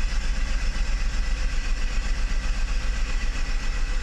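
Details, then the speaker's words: Mercedes 600SL V12 (big-case throttle bodies), not started for a few days, idling after an E-gas throttle control module test ahead of a throttle body rebuild. The idle is smooth, deep and steady; the E-gas checked out OK. "let's start it up real quick and see what we are with idle speed"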